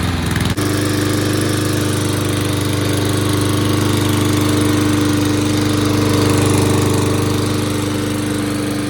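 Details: Toro mower, model 20370, after carburetor cleaning, reassembly and fresh gas: starts with a snap and settles into a steady, even drone around 214 beats a minute without surging or dying. Now runs much better and keeps running.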